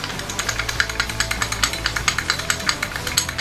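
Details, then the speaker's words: Honda Click scooter CVT at idle with a quick sharp metallic clatter, about eight clicks a second, from loose worn variator slide pieces rattling. "Dahil maluwag ng slide piece natin, ang gagawin natin, remedyohan natin. Tanggalin natin yung ingay."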